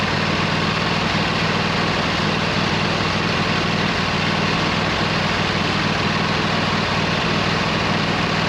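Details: 26 HP Kohler V-twin on a lawn tractor, idling just after fitting new OEM Kohler ignition coils to cure an intermittent one-cylinder misfire; steady, even low rumble at constant speed with no misses; not perfect yet but much improved.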